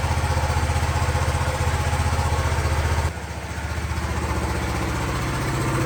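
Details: 1974 Honda XL250 single, seller-reported 60 psi compression, kick-started with no throttle: even single-cylinder thump at a steady idle, with a brief dip and then a regular beat; healthy running.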